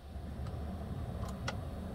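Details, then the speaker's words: 2009 Toyota Tundra 5.7 with intermittent no-crank (earlier P2799 immobilizer code): sharp single clicks over heater blower hum, no cranking; starter solenoid click, solenoid engages but motor contacts not connecting, starter needs replacing. "given the symptom when I'm hearing a click from the starter and no response from the starter"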